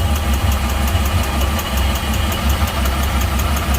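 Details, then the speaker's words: Poorly running Volvo Penta 4.3 on a Regal Fasdeck boat at idle: lumpy, uneven thump with a regular hitch, a pretty bad kick from the port side; fuel trim codes present, but a dead cylinder is suspected, possibly compression or valve, not fuel. "got a pretty bad kick it's definitely coming from the poor side here too"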